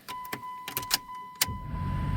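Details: 2000 Chrysler Grand Voyager starting after the corroded ignition switch was replaced; a few clicks and a steady chime, then the engine catches and settles into an even low rumble, a normal start.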